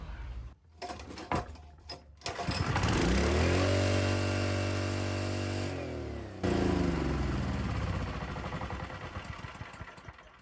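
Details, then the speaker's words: Honda GX160 generator with a mismatched GX340 carburettor fitted after a botched earlier carb job: starts rough, then climbs to a hard, steady high-pitched scream with no governing, running flat out; over-revving, carb setup suspected. "That's revved out to the max there. Not good for anything. [Applause] Not working right at all, is it? It's not meant to make that noise."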